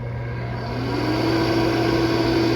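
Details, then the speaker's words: First test run of the blower for a DIY heat treat oven: a steady low hum that climbs slightly as it spins up, then holds even. It blows hard, with a little air leaking from the joint gap to be sealed with epoxy or a pipe clamp. "Blows pretty hard. There's a little bit of air coming out that gap right there where I was talking about epoxying it."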